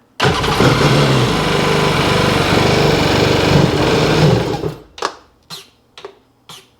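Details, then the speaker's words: 2002 Sea-Doo GTX DI that won't rev: it fires, holds one flat speed for about four seconds, never picks up, then dies coughing. A fuel leak is suspected and the fuel pump sounds strange; low fuel pressure. "Won't rev up is the thing I got."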